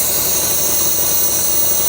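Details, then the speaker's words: 1996–97 Lexus LS400 parked ten years, running again: steady loud hissing over an uneven, roughish idle; air constantly sucked through the IAC line even once warm, so vacuum leaks are present. "But it's still Yeah, she's still sucking tons of airs. I I don't I don't know, guys."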